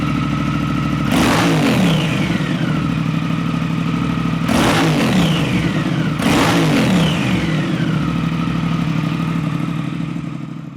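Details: Brand-new 2023 Triumph Thruxton RS with Predator Carbon exhausts just fitted; steady, lumpy twin idle with three quick, clean throttle blips rising and falling smoothly. Normal running.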